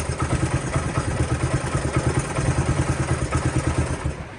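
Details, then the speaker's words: Honda CT90 single-cylinder kick-started on its stand after carb cleaning, static timing set, an over-tight valve adjusted and a new spark plug: about three uneven thumps a second, starts right up and idles on its own; idle still needs slight adjustment. "as you hear it starts right up and and runs i think i need to adjust the idle a little bit but that's better than what it was doing before starts right up that's how these things should be"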